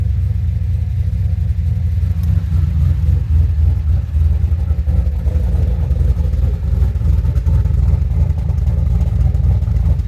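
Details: 2007 GXP with Sloppy Stage 3 cam, VATS and DOD deleted via HP Tuners, first start-up after retightening loose front rockers: deep even V8 rumble steady through revs, no popping or misfire; loose-rocker popping fixed, healthy revving.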